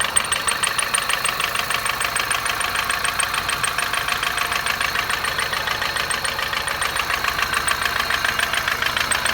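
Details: 2006 Kia Picanto at cold start: fast, light ticking about three to four times a second over a steady idle. The owner is unsure whether it is an intake manifold leak or a lifter tick.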